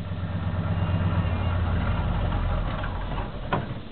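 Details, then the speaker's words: 1977 Chevy K10 carbureted 350 V8 at 8°F, dead cold, in neutral: rough cold idle sags and deepens in pitch when the clutch is let out as cold gear oil in the transmission and transfer case drags the engine down. "I'm going to lift up the clutch and just the cold gear oil in the transmission transfer case listen how it pulls the motor down ready"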